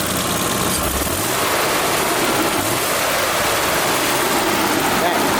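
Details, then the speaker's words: BMW E34 barn find, sat 10 years, after electrical tape sealed a vacuum leak at a boot: even, settled idle with no hunting or stumble, running much better. Normal idle after repair. "i don't know it's running way better now what damn that electrical tape did some wonders because it's running amazing now"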